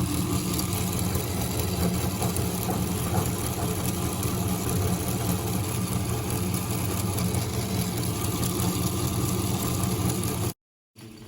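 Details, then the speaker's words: Engine on an endurance test at 3 pm, after running since 6 am: a steady low drone with an even beat of about four pulses per second and no knocks. It runs normally with no problem. "Jam 3 sore dari jam 6 pagi, it's okay, mesinnya masih masih jalan, nggak ada masalah."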